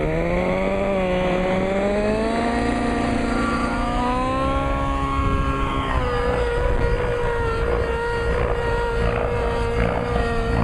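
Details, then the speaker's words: Nitro RC helicopter engine after leaning high-end needle 2 clicks, under load: high buzzing note climbs and holds steady without sagging; pulling a little better, normal. "Pulling a little bit better. I'm going to see how it recovers when I come off the pitch."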